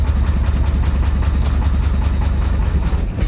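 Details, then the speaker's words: 1985 Chevy Corvette swamp rescue, fuel pump just resubmerged in tank, pedal to the floor: low, uneven chugging with irregular beat, smoking and barely holding on; rough running, best run so far. "she's [Music] running she's also smoking I've got the pedal to the floor uh this is the best it's done so far obviously it's it's not very happy but it's running"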